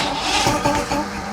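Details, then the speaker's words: 1980s Mercury 150HP Black Max V6 two-stroke outboard, after carburetor sync and priming: uneven cranking with a few sputtering catches that die away; almost starts but won't keep running. "Um I think we might be able to actually start this thing up. Well, almost wanted to start."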